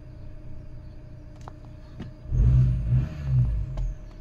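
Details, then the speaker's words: Peugeot 1.6 chain-driven engine (120 bhp) with a possible slight exhaust blow. The low idle swells and sags on its own without throttle, though the gauge looks fairly steady: hunting idle. "can hear it hunting now but it doesn't look like it's that bad on there it's quite steady to be honest"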